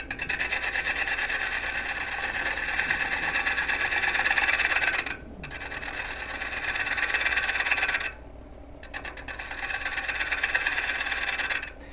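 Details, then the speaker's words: Woodturning a dried, out-of-round twice-turned bowl: a bowl gouge scraping cut on the shoulder gives rhythmic chatter in bursts about three times a second as it hits the high spots, which smooths once the cut becomes even. "you can hear it hitting the high spots there that's what's making all the noise"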